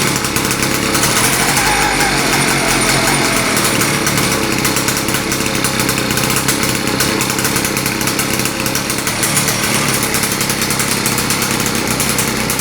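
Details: Victa small single-cylinder engine being modified for kart use, start-up after fueling: harsh raspy bark, fast and steady, very loud open exhaust, running evenly with no knocking.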